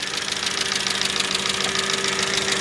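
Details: 2005 Mercedes ML350 (W163), bought with no oil, idling: fast, even ticking chatter over a steady hum, like a dry, noisy valvetrain. Owner doesn't think there's a head gasket leak; suspects lubrication issues and a leaking valve cover gasket.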